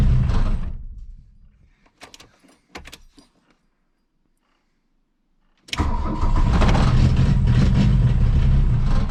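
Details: 1982 VW Rabbit diesel, cold, after loosening and retightening injector lines to bleed fuel, cold choke out, glow plugs cycled; runs briefly, pauses, then cranks and catches to a rough, steady idle.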